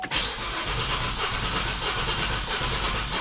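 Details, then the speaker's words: 2008 GMC Acadia V6 with misfire code on cylinder 3 and low compression there: starter cranks with a lumpy, uneven rhythm during crank test. "can hear the cranking is not looking good at all not doesn't sound good at all"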